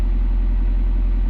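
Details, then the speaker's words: Honda Prelude (H22) idling after valve adjustment for cylinder 2 misfire (30 PSI compression), new spark plug wires and valve cover bolts: deep steady exhaust burble, even pulses, no cylinder louder; somewhat loud but misfire gone, normal idle. "wow if you listen to that it is kind of loud but it ain't as bad as before and it definitely doesn't sound like um one cylinder is louder than the other if that makes sense i don't know but the exhaust sounds nice and steady"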